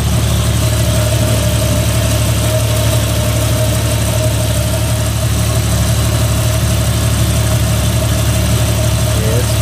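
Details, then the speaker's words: Jeep XJ with newly added hydraulic assist steering and cooler, idling while bleeding: thin constant whine as power steering pump draws air bubbles; system holds about 3 quarts, still needs bleeding. "where we can crank it all right well guys we're to the point of fighting air bubbles so we're getting there you see down in there it's working itself out going to take it a while"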